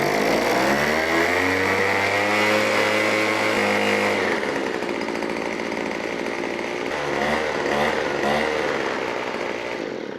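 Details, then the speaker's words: Small two-stroke with primer bulb, fuel left in and run over winter, first start of season: fires and revs to a high buzz, then settles to a steady even run with no stumbling; healthy. "Now this one's actually already got fuel in it, and I have to lie, I did run this during the winter time to blow the garage out, so this is gonna fire up perfect."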